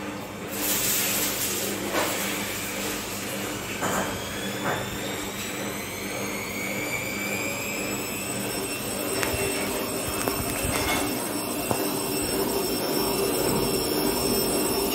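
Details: Bosch washing machine after its dampers were replaced: the drum spins up with a smooth whirring whine rising steadily in pitch, with no knocking or banging. This is a normal spin cycle.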